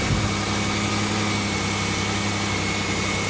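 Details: 2001 Pontiac Grand Am, leaking head gasket with cylinder 3 misfire, coolant smell and white exhaust smoke, IronTite sealer just added: busy uneven idle with faint stumble under hiss; rough idle from blown head gasket.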